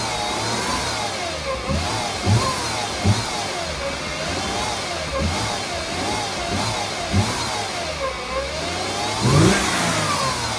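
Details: 2008 Mercedes-Benz C300 V6, stock exhaust, cold start and revving: a loud whine rises and falls with every throttle blip over the engine note; a failing alternator, and replacing the alternator cured the noise.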